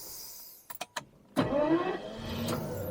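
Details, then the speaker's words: Daimler Double Six (Jaguar XJ12) V12, low-use summer car towed in with a no-start and no charging; hot restart with good oil pressure and about 14 V: brief starter clicks, then it fires almost instantly into a steady, even idle. Normal quick hot start. "That is such a quick and good starter."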